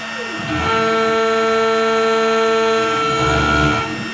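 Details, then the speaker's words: OpenBuilds MiniMill CNC router before upgrades on a very shallow, conservative aluminum cut: spindle winds up into a strained ringing tone, then winds down; chatter persists, causing heat and likely dulling the tool. "This is an even more conservative cut, so I don't remember what exactly the axial depth of cut here is, but it's pretty thin. And you can still hear it's not happy, but it's doing it."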